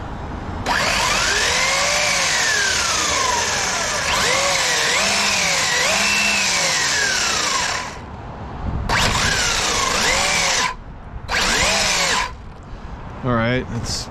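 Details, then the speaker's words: Kyosho MP9 Evo 1/8 electric buggy after repairing worn parts binding the rear drivetrain that caused overheating, bench sound check: clean motor whine rising and falling with throttle, no grinding or binding; normal. "sounds about normal, you know."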